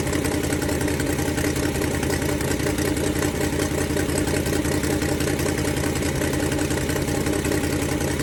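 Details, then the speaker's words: Ford Falcon 289 V8 idling during a cooling-system flush for rust-caused overheating: loud rapid puffing tick over a rough idle, keeping pace with the firing pulses, from an exhaust leak; fix planned for tomorrow. "That exhaust leak sounds horrible. It's getting fixed tomorrow."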